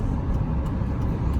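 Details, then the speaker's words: GMC Sierra, 4.3 L V6, about 229,427 miles, after swapping the rear axle assembly for a failed front bearing: steady low road and drivetrain rumble at highway speed with no whine or clunk; rear axle sounds normal. "So yeah, seems to be driving out okay."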